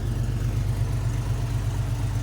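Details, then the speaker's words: Chevy S10 with carburetor, still flooding slightly, after vacuum leak fix; warm engine idles smooth and even at about 950 rpm with no stumbles or hunting, normal idle. "So we're idling right here, right about where we're supposed to be, about 950."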